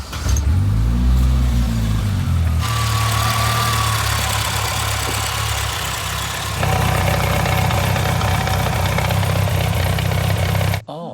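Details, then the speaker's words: Holden Gemini with an old used gearbox, started in neutral: loud, uneven low droning and wavering growl, first thought a busted engine; gearbox noise, input shaft suspected destroyed. "so that noise at first I thought was a busted engine cuz Subaru life that's what sound like when they're broken I can hear a noise the gearbox"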